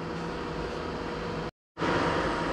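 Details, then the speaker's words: Lochinvar FTXL 400,000 BTU boiler, started cold after a flow switch/LWCO lockout so it runs at 100%. A steady, even burner roar without rumble, whistle or surging at full load, reading 444 as expected. Normal operation. "now we have 444 with a full load so that what it's supposed to be"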